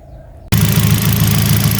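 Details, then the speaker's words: Kia Picanto after ECU repair: the shorted injector driver IC for cylinder 2 had left that injector stuck open, causing a rough engine, white smoke and a strong petrol smell. Engine now starts into a steady, even idle with the injector normal and the check-engine light cleared. "Itu mesin sudah saya hidupkan. Ini injektor sudah normal."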